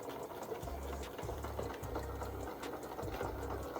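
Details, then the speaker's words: Restored VHS rewinder fast-forwarding: small motor whirs in steady short runs with light mechanical clicks, no grinding or strain; rewinder running fine. "சுத்துறது தெரியுதுன்னு நினைக்கிறேன். வந்து பக்காவாக வேலை செய்கிறது. ஒரு சூப்பர்ப் பிஹச்எஸ் ரிவைண்டர்."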